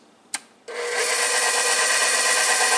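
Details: KitchenAid stand mixer after a gearbox repair, with gears regreased and the cover reassembled: a click, then a steady, even hiss-and-hum with no knocking or grinding; it runs smoothly.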